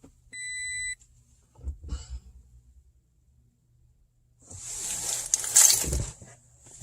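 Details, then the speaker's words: 2016 Toyota Tacoma with push-button start, owned about 5–6 months, won't start or unlock: a short steady beep, then no cranking, only "push engine switch with key"; the key fob battery turned out to be dead. "Push engine switch with key. Oh, that's not even working now. Now it won't even start."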